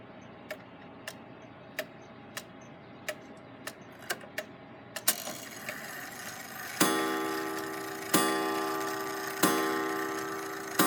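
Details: Gilbert long-drop octagon clock after rebuild, back on the wall with the beat adjusted; hands run round to test the strike in vertical position: even ticking, then four clean, mellow strikes with no buzz, a normal strike tone.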